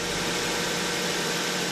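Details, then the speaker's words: 2008 Ford Focus idling after new spark plugs and coil packs refitted; the earlier stumble and check-engine light are gone, and the exhaust note is steady and even with no skipped beats: normal idle, fixed. "it's got nothing now it's not hesitating at all as you can hear it in the exhaust she was skipping a beat and she sounds good now"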